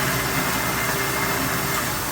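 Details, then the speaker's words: Kitchen garbage disposal, running briefly, small click on start from worn motor engaging: steady rough hum with gritty rattling edge, no pitch change; motor worn, replacement with new flange proposed. "Sounds like it's had its better days. So, if she wants, we can do um gar- uh garbage disposal and it'll come with a new flange."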